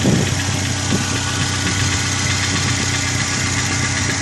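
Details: Corsa engine at steady idle with a light fast ticking that keeps pace with the engine, from hydraulic lifters slow to pump up because of a dirty oil pickup in the sump.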